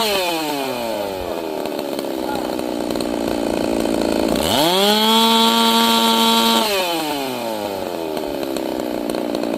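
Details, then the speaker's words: Chainsaw, warmed up, at full throttle while tuning the carburetor: high-speed mixture leaned until the rich gurgle and four-stroking are gone, giving a clean, steady high RPM scream. "I leaned it out until it had no stroke, no force stroking at all. Just a clean high RPM."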